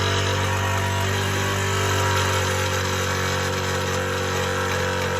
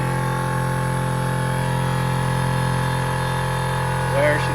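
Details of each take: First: Air Zenith air-ride compressor, fairly new, running with a loud harsh steady clattering knock until shutdown; owner suspects a failed piston rod bearing, before teardown. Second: Air Zenith air-ride compressor, first run after rebuild for suspected worn piston rod bearing: steady, even motor hum with a constant low drone and no knocking or rattle while filling; pressure switch found faulty, not shutting off properly.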